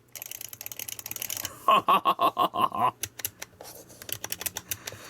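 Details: ArcadeR retro joystick with greased stick and proper microswitches inside: quick run of sharp, crisp clicks, about a dozen in a second or so, as the stick is worked; healthy microswitches.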